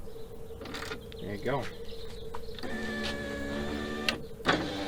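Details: Door after window regulator replacement: steady electric motor whine as the glass lowers smoothly with no grinding or binding; regulator working normally.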